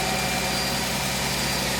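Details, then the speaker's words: Mercedes-Benz C240 after fuel injector replacement, following earlier fuel filter and pump replacement, just started as the empty fuel rail fills: even, steady idle hum with no misses or knocks, smoothing out; a normal healthy idle. "you got to hear it bad boy sounds good all right i believe this bad boy ready to roll"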